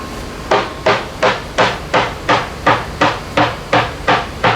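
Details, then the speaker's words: Leopard 45 catamaran hull after dry-glass repair, hammer tap test: even taps nearly three a second, each the same crisp solid uniform note with no dull thud; laminate sound. "there it's it's a very uniform sound and as discussed before you need to be aware of things like chains and stuff and shelving behind the hole and not get caught up in weird notes"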